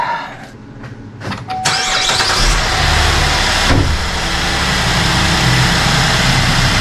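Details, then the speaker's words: 2014 GMC Acadia after purge valve replacement (the bad valve had caused a lifter-like tick): engine starts quickly and settles into a steady, even idle with no ticking or clanking; normal start and idle. "No more clanking."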